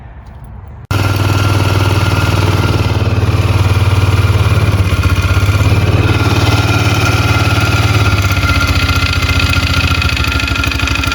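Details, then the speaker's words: 2002 Polaris Magnum 500 single-cylinder ATV engine that smokes badly, starting and idling with a hollow, rapid knocking clatter beneath the exhaust thump; piston slap suspected. "here we have a 2002 polaris magnum 500 it was brought to me the engine smokes pretty bad and there's a knock in there and i'm just going to try to figure out how to fix it"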